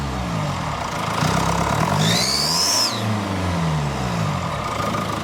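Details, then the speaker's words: Mercedes GLE W167 diesel, 245 hp, about 175,000–185,000 km, twin turbo: thin high squeal rising and falling with revs, exhaust gas leaking at the exhaust manifold gasket near cylinder one, soot seen; engine removal needed for repair. "I hope you can see the exhaust fumes coming out and the characteristic squeal of this car, this characteristic squeal of this engine."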